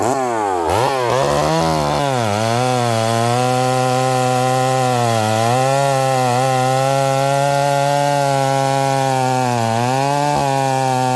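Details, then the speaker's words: Stihl 038 Magnum chainsaw with carburetor issues, smoking: stays at a high wavering rev, won't come down to idle, burbly and running very rich. "This thing's not coming down. It's running really rich. It's coming down to idle and it's kind of fogging out."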